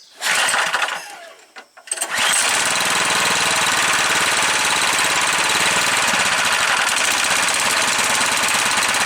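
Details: Yard-sale Craftsman 21-inch 4-cycle snowblower, which had leaked fuel from the carburetor and only ran on choke, started on choke with primer squirts: after a pull and cough it settles into a steady, fast, even beat without surging.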